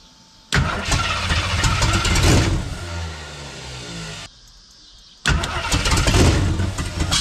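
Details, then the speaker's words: 1976 AMC Gremlin, AMC 360 (5.9L) V8, after retarding the timing from about 25–30° advanced to about 12° BTDC. It fires up twice and settles into a fairly even, steady idle with no popping or hunting. Normal idle after the timing fix. "all right it sounds way better it was really Advanced that's probably close to like 25 30 or something like that it's about 12 now so so that fixed a lot of that that that's idle like a lot better now"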